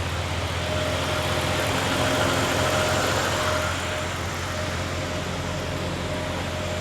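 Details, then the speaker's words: Chevy OBS crew cab LS V8 with new accessory drive, Procharger parts and upgraded charging, power steering bled, first start in a while: steady smooth idle, faint accessory whir, no squeal; normal idle, no belt squeal. "Hasn't been started in a while. Sounds good. No squeals."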